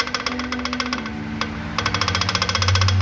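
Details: Chevrolet Celta/Corsa engine: sharp metallic knocks, about three or four a second, quickening as revs rise, heard from below the engine; a spun rod bearing knocking.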